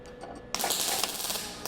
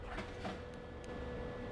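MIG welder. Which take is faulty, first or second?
first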